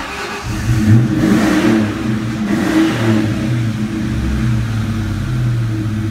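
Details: 2002 Ford Mustang GT V8 after fixing its anti-theft no-start by splicing and waterproofing a grounding wire: the engine catches, revs and settles into a smooth, even rumble with no misses, knocks or rattles.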